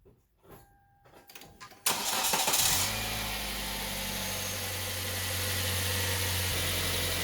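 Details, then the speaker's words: 2011 Kia Soul after replacing the screeching, badly damaged A/C compressor belt and the alternator belt, tension adjusted: brief crank, clean start, smooth even idle with no belt squeal or chirp; belts working, car ready for the road. "Check the operation of belts by checking alignment, tension adjustment and noises. Belts works on, and car is ready to return to the road."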